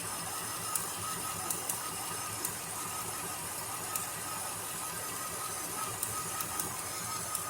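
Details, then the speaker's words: Chevrolet Caprice engine idling: light sharp ticks at irregular half-second to one-second gaps over a steady hiss; the owner suspects the plug wires or Optispark, not confirmed. "definitely can hear that thing ticking though so something's wrong with that that's not supposed to be like that"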